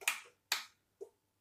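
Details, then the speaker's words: Three crisp clicks about half a second apart in a quiet room as the motor engages and the brake releases; normal operation. "that's the motor engaging and the brake working"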